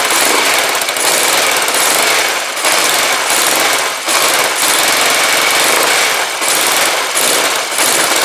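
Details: Rebuilt Kawasaki GPZ500S twin in a frame, about 130 psi compression, first start after spark restored and float bowl filled: bright, busy running with a slight rhythmic pulse, firing on both cylinders and holding idle.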